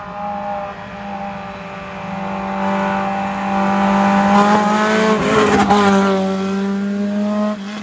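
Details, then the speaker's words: Dirt-race 2004 Acura RSX Type-S FWD, pulled out after sitting a very long time for season prep: engine revs strongly, then pitch wavers and hunts under throttle. It is surging; owner suspects a screen needing cleaning and plans a new VTEC solenoid. "i had earplugs but it's surging now which is not a big deal we can clean that screen it's been sitting a very long time"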